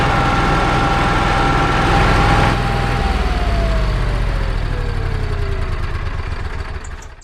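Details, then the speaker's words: Onan QG 5500 generator in a 2022 Jayco Precept 31UL motorhome, primed and run a few minutes to warm the oil before an oil change: a steady, even small-engine drone, then the pitch slides down as it shuts off; it runs normally. "Before we do the oil change, we're going to start up the generator for a few minutes to get the oil warm. First thing we do is prime it, then we start it up."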